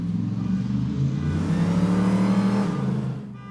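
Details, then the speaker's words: Hemi Gremlin driven and revved hard on the street after a voltage fix for a rev-limiting problem. The engine climbs cleanly without cutting out and drops back smoothly; the rev limiting is gone. Normal revving. "woohoo so far so good fixed no more Revel limiter and it's just loud enough to set off the car alarm"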